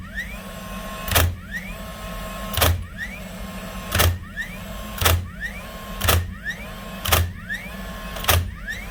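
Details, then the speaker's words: Dewalt DCN692 nailer after replacing broken springs that caused clicking and no firing: seven sharp shots about one a second, each led by a rising motor whir, driving cleanly every time. "That's her, up and running and shooting like she's supposed to do."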